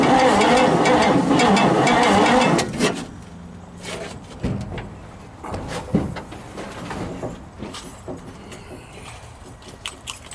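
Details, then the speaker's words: 1957 Chevy big-window V8 pickup, choke opening fully, coil wire left on by mistake: starter churns the engine in an even rhythm for a couple of seconds, then stops without catching; normal cranking, no start. "well folks let's uh pull the coil wire off and see if she'll spin over with the key wouldn't that be nice"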